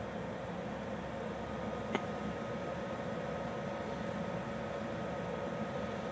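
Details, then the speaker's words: Externally mounted under-chassis Eberspächer/Webasto-type parking heater, about 2500 W, running roughly a minute after start; phone about 30 cm from hot-air outlet, air still cold. Steady airy blower roar like a helicopter spooling up, faint high hum, faint dosing pump; normal operation. "Alors bon, ça fait un peu un bruit d'hélico qui arrive ou qui se lance, au choix. Bon, bruit de soufflerie quoi."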